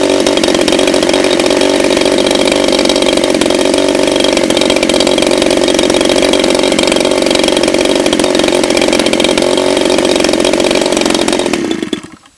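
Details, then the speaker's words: DLE 30cc two-stroke engine in break-in, about 15 heat cycles, warmed up; holds a steady buzzy high-speed run for about twelve seconds, then quits instantly when tilted during a tilt test. "Noticed as I tilted it that way, she quit instantly, and it's going to take a few."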